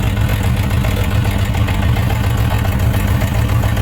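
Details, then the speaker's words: Suzuki RF900 idling during a water-drying test: one cylinder's header stays wet, suspected to be getting too much fuel. Low, lumpy idle with skipped pulses. That cylinder is not firing properly. "so that one right there is not firing very well but this one is firing can see the difference right"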